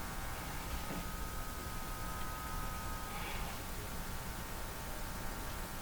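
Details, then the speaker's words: Hallicrafters TW2000 communications receiver after hum suppression work, volume turned down to normal listening level: a steady low drone with faint buzz under hiss, barely audible residual mains hum; judged acceptable. "Turn the volume down to normal listening levels. Hardly hear anything. Yeah, I'm going to give that a thumbs up."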